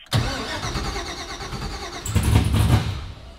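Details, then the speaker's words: Mazda RX-7 FD with swapped engine on Fuel Tech FT550 standalone ECU: fires, runs roughly, surges once, then cuts out within a second; stall from ECU power loss. "Can we do that same test again here? And see if we are losing power again? Or not?"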